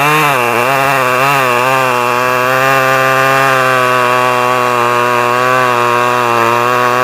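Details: Stihl 011AV two-stroke chainsaw after a carburetor rebuild and reseating of the spark plug coil wire; a steady high buzz holding even pitch after a brief wobble at start. Runs cleanly; owner guesses it may need crank seals as it is awkward to tune.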